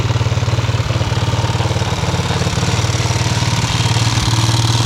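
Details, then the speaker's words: Yamaha restoration engine idling with brand-new carburetor just installed: low, lumpy idle about three beats a second with uneven pulses and level swings; rough idle, owner says carb needs tuning. "going to have to find sh in that carb a little bit idle and kind of iy but it's [Music] running sweet"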